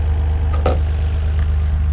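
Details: 1991 Nissan R32 GT-R, RB26DETT, warm idle after a low oil pressure fix: deep, smooth, steady low rumble with no knocking or ticking; before the fix the gauge read near zero warm at idle.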